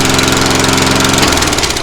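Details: Lawnmower after a new carburetor and fuel line were fitted: an even, rapid single-cylinder putter with no knocks and much quieter than before, no longer ear-piercing. Normal running.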